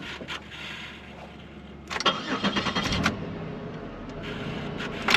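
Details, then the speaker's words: 2004 Chevrolet Monte Carlo at auction lot, over half a tank of fuel, oil overdue for change: starter cranks on and off for several seconds before the engine catches unevenly and stumbles; slow to fire and rough on start. "it is turning over a lot to fire where's the fuel at it's over half a tank I mean it does run"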